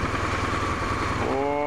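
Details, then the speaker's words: BMW R1100RS oilhead boxer twin, about 75,700 miles, hot, idling at 1250–1300 rpm with 18–19 psi on a mechanical oil gauge: steady, even low thrum, no knocks or misses; healthy idle. "we are idling at 1250 to 1300 RPMs indicated on the tacometer and our oil pressure is"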